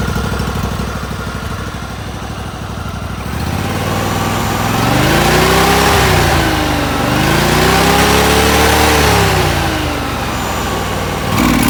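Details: John Deere LX188 single-cylinder riding mower after carburetor install; governor pin pushed back in, fixing the idling problem. Engine holds an even beat, revs and settles smoothly back to a steady idle without hunting.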